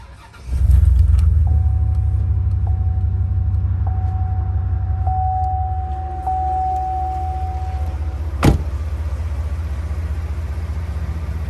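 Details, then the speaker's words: 2005 Chevrolet Silverado 3500 dually 4x4, 8.1 L Vortec V8, 26,082 miles, fully serviced: short crank, catches right away, settles into a deep even idle with door chime pinging; normal start and idle. "Let's go ahead and fire this 8.1 up so we can hear it start."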